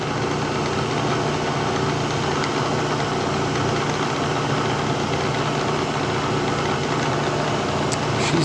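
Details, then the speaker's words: 1970 Bridgeport milling machine, found dirty and abandoned, quill test in high speed: steady, even hum and whir with no knocks, rattles or surges; sounds all right, just very dirty; spindle head running normally. "yeah okay I don't know it sounds all right just dirtier than hell"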